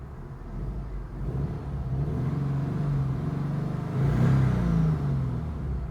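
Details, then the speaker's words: Subaru Impreza GG WRX turbo, EJ205 engine, just after an oil change to 5W-40, on first start; it rattled for about five seconds, then stopped; rising from idle to a smooth rev and back, even low rumble, no rattle or tapping; normal engine revving. "треска кстати нету Вот сейчас"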